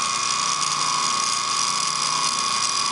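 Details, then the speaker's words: Antique ring-oiled Wagner 2hp electric motor from a 14-inch saw, runs well but a bearing is shot, oil ring barely pumping oil; steady hum with fine rapid ratcheting rattle from the worn shaft bearing. "It runs well. But this bearing is shot."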